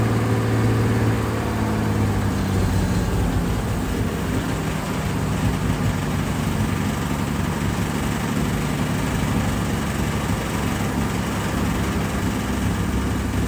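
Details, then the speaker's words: Carbureted engine after fuel pressure regulator work and lowering the too-high idle at the carburetor idle screw: steady, even low rumble with no hunting, surging or stumbling; the idle is smooth though the carb still leaks at the bottom. "dang listen to her purr I think we're in a much better place"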